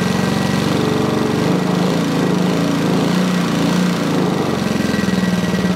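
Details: Sovereign lawnmower engine after cleaning out gunk; runs steady but flat, low-pitched and never reaches full speed, still not revving high enough; underspeeding.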